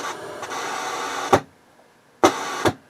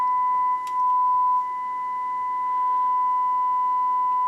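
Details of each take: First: HH Scott R 316 receiver switched to phono input at high volume: hissy scratching ends in a loud bang and pops, like DC from the phono amp, then settles; AM, FM and auxiliary inputs are quiet. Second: HH Scott R 316 receiver phono input fed a 1 mV test tone after fitting 470k resistors to fix loud scratching: steady, pure tone on both channels with no hum, crackle or dropout; phono stage working normally.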